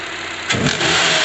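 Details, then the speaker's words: Knocking from upper engine/valve area of a 2012 Honda CR-V, only at start-up or when the accelerator is pressed: short knocking burst on a throttle blip. Mimics VTC actuator or timing chain, but caused by a badly worn serpentine belt; pulleys fine, replacing the belt cured it. "hace no lo hace solo es cuando se prende o cuando se pisa el acelerador pero una vez prendido no lo hace"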